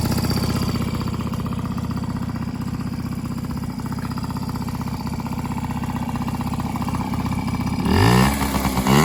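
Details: 1995 Yamaha PW50 two-stroke, fully rebuilt after long sitting (carb, cylinder top end): quick steady idle buzz, then revs cleanly near the end; pulls crisply and runs healthy.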